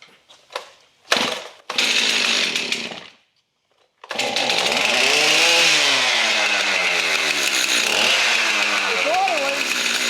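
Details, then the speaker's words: Stihl MS 271 chainsaw that previously wouldn't start and squealed when pulled: pull-start catches, then it runs and revs cleanly and evenly with no squeal; normal running. "And then when I grabbed it and pulled on it, it started and it was pulling a lot easier. So, I must have must have dislodged whatever was in there that was keeping it from running."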